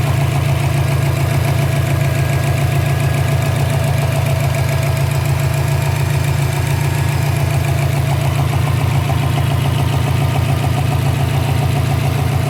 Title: 2012 Subaru Impreza WRX Engine idle popping noise - loose intake manifold